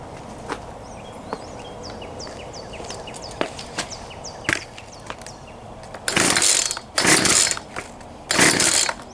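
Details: Poulan Pro 222 38cc chainsaw that would not start, fixed by correctly routing the missing fuel return line; quiet idle then three sharp throttle bursts rising and dropping cleanly, running fine.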